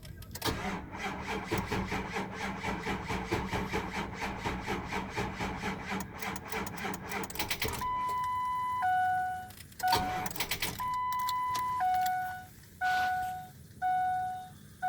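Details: 2004 Ford F-250, cold start: starter churns in steady pulses about eight seconds, engine never catches, dash chimes repeat; crank no start.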